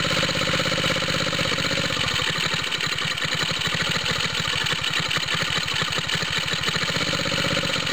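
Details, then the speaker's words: Water pump rig engine, cold start with new exhaust tip: steady idle with rapid even chuffing and raspy throaty edge; owner suspects head gasket leak, smoke seen at the spot, low compression; head gasket replacement planned. "I keep seeing smoke coming out of here. Almost sounds like that makes it throatier."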